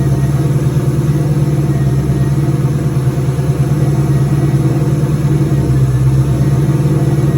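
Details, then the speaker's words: Turbo 2003 Ford Mustang Cobra on its first start, with the intercooler cold-side pipe left disconnected and a return-style fuel system: a deep, steady idle with an even low rumble and no misses, knocks or ticks. Normal idle. "Sounds good. I'm glad to hear it run again."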